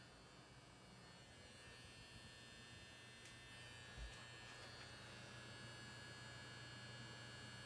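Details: Running PC gives a constant loud low electrical buzz with a faint high whine, louder than coil whine; it persists through reboot, stops at shutdown, returns hours later under light use, and vanishes when the case is tipped over; source undetermined.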